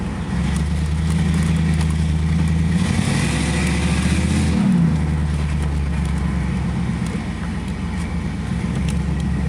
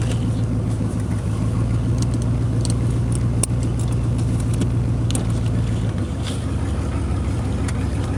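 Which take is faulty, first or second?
second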